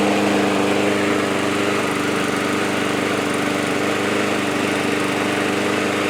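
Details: Yard Man push mower, after sitting at least two years, following carburetor cleaning, new parts and blade sharpening: steady, even buzzing drone with no hunting or surging, holding its revs; surging fixed.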